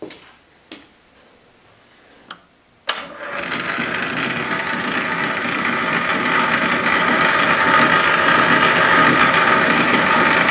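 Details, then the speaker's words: Antique wood lathe during restoration, old motor: a few clicks, then it starts and settles into a steady, even hum with no knocks or grinding, pretty smooth and quiet; normal running. "pretty smooth quiet It's what an old motor on it as well, I like the old malt is lower than the new motors"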